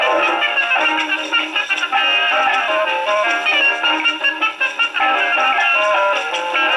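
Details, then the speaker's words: Rebuilt HMV No. 4 reproducer with owner-reported buzzing and distortion, isolator gasket modified to fit tonearm, on Victrola VV-50 with new mainspring, slightly worn record: clean playback, only surface hiss, no buzz or rattle on loud notes; fault not reproduced. "Well, I have to admit this one's got me a bit stumped. I'm not getting the buzzing and distortion. The record's a little worn, so that's expected to have some, but..."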